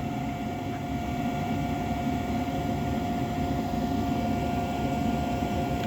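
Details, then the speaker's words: Trane 90% single-stage upflow propane furnace, unmaintained, no heat: igniter glowing, pressure switch closed, steady inducer hum near 700 Hz with no burner roar; inducer motor running but burners fail to light. "but this is propane and guys it looks like all of my Burns didn't light"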